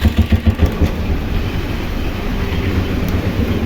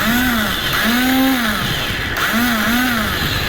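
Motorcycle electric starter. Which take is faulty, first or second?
second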